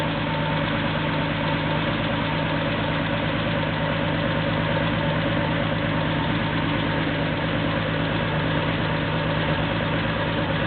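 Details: Porsche 911 2.7 L flat-six, early S cams, twin plug, 46 mm PMO throttle bodies, Tec3 management, first startup before balancing, cam sensor reading 29 degrees, running a bit rich: even, steady idle with a smooth low pulse, no misses or ticks; normal cold idle.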